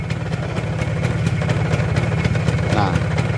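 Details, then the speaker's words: Vespa Super 150 two-stroke scooter idling with clutch pulled, pre-touring bearing check: even putter at about two beats a second, no rattle or grinding; smooth and healthy. "bunyinya juga halus."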